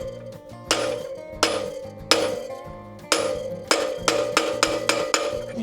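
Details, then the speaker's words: Beta RR350 enduro bike front wheel bearing being installed: sharp hammer blows on the bearing's outer race, with later strikes quicker, brighter and more solid; the sound change shows the bearing is fully seated. "that the bearing is sitting exactly where it needs to sit"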